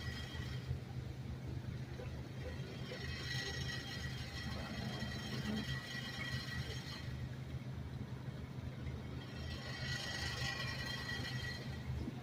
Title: Audio sample . Subaru with noisy exhaust system .